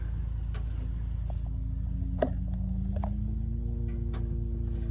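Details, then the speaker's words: Skid loader with full fuel tank but no fuel delivery: fuel pump hums as it sucks the suction line flat; owner suspects suction or pickup line obstruction, possibly a bad hose. Steady low hum rising in pitch. Fuel pump humming, no fuel delivery. "we're sucking this suction line flat and it's set here it's it's trying to suck air through it or suck fuel through it and it's humming"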